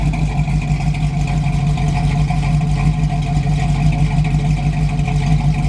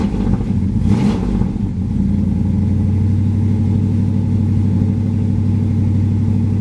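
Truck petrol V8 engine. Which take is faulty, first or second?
second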